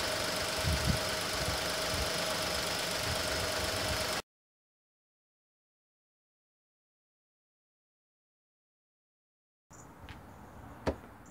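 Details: Petrol engine idling steadily with an even beat and no stumble, then shut off, after a misfire on cylinder 3 (code P0303) was traced to a bad coil-over-plug unit.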